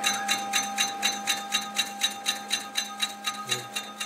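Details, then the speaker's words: Stuart beam engine flywheel casting on a lathe, hand-fed light roughing cut: sharp tick about four times a second over a steady cutting tone, once per turn. The tool is hitting a small hard spot in the casting. "It's only very small, luckily. We'll get underneath it eventually. I've noticed with these Stuart castings, there's always a hard spot in one of them somewhere."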